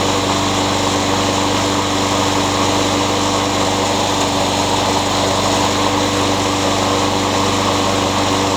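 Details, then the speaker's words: Craftsman mower with a Honda engine that surged before; cleaning the carburetor didn't fix it. After fitting a new carburetor it holds a constant-pitch drone with no hunting and runs like new. Owner suspects an unbalanced blade causes vibration. "the carburetor and it runs like new"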